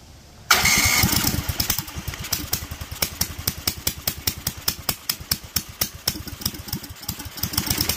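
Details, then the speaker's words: Duromax 18hp engine, idle-fix attempt after a viewer tip: catches on throttle, then uneven firing pulses slow to about four a second and stumble; it stalls at idle after trying to drop to 700 rpm; idle screw to be adjusted, may need warming up. "Still died, although it tried to drop to 700 for some reason. I'm gonna adjust the idle screw in a little and see if that's what's going on."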